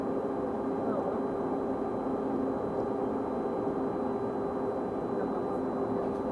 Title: Weird Noise On Constant Pitch | SLN 82060 On Bus Route N199 Part 1 (4)